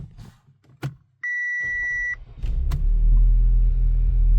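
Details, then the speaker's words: 2011 Audi A5 2.0T after P0016 timing repair for crank-no-start and long crank, codes cleared: dash chime, brief crank, then fires at once into a smooth steady run; normal start without priming fuel pump. "And I'm surprised it didn't have to like prime the fuel pump or anything, even though I had it all open."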